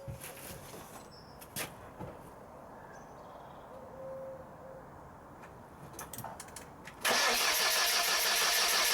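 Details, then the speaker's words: Replacement engine just fitted to a Lancia Delta Evo1, with a battery booster on and the intercooler not yet fitted: even starter cranking with no firing. It cranks but won't start, so a spark plug will be pulled to check for spark. "No, there's no joy there. So what we're going to do, first of all, is take a spark plug out and see if we've got any"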